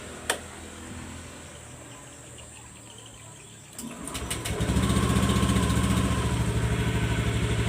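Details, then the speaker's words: Honda Beat Street (2017–2019) scooter that used to rev wildly on starting from a sticking throttle, now after service: starts readily, settles straight into a low steady idle without racing; normal start and idle. "Seperti biasa kita starter. Oke. Oke, ya. Tidak besar langsung meraung-raung guang guang guang gitu, Guys, ya."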